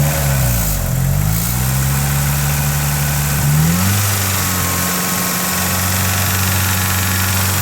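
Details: Mitsubishi 4G63 Evo 3 engine idling and blipped: low hum with an uneven knock about four per second, traced to a cracked and slightly melted No. 4 piston.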